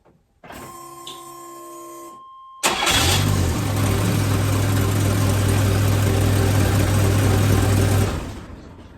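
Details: Chevy S10 before replacing the exhaust downpipe flex section: chimes, cranking and catch, then a loud raspy cold idle with rapid puffing tick from an exhaust leak at the patched flex pipe.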